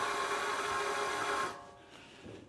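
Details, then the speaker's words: Mercedes GL450/GL550 front wheel bearing spun off the car by an RC model starter on the hub: a steady, gritty whir with a droning tone, matching the noise heard at 40 mph; a worn bearing despite being tight with no play. "Listen to that. That's exactly the sound that I'm hearing at 40 miles an hour."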